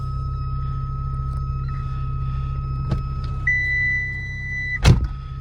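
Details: Mk3 Ford Fiesta at idle: constant thin electronic buzzer tone whenever lights are switched on, then steps higher and stops with a thump; door switch suspected but apparently not the cause, unconfirmed.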